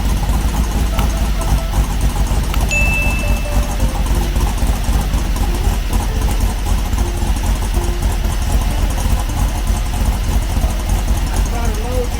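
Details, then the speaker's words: 1970 Trophy Car dune buggy, new 1776cc VW flat-four on break-in, running hotter than normal, 130 degrees at the case, 140 degrees under the jugs: loud, steady, slightly lumpy, throaty Harley-like idle with no knocks; normal. "Sounds badass. Sounds like a Harley. Even through the break-in process, when on break-in everything's new, so an engine runs hotter than it normally would."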